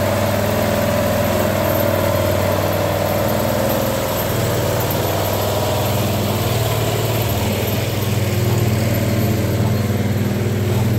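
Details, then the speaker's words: Bobcat skid steer with Harbor Freight Predator 670 22 hp engine swap, old exhaust smoking as paint cures; even low steady idle thrum, hydraulic hum underneath, no knocks or misses; normal idle. "Smoke's gotten better as the paint cures off so I'm gonna have to figure that out at least it moved starts and runs now"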